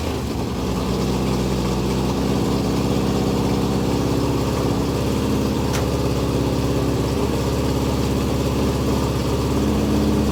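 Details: Porsche flat-four with megaphone exhaust, will-it-start check: steady, even idle with deep exhaust burble, no knocks or misses; starts and runs healthy.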